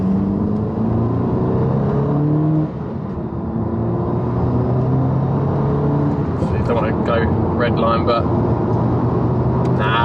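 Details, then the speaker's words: Mk5 VW Golf GTI on its first road test after an engine rebuild, engine at operating temperature. It pulls smoothly through the gear with a steady rising drone, no stutter, road and wind noise behind; it drives smoothly and healthily. "good there we go look we're good the car's fine drives nice enough actually drove really nice that was really smooth"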